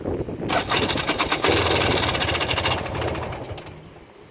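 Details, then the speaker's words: 1994 Polaris 400L 4x4 ATV: starter churns the single-cylinder over at a steady, uneven rhythm for several seconds without it catching. Hard starting; owner suspects the ignition coil. "she's got a really really really really low idle as you guys can hear it but the one problem that I've got with it is my coil I'm pretty sure it's my coil"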